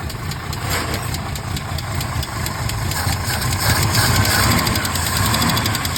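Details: 1968 Mercedes-Benz 230, started after a Zenith 35/40 INAT carburetor repair (stripped fuel inlet, rebuilt fuel return valve): fast light ticking, three or four per second, over an uneven idle; the lifters have ticked for over 30 years.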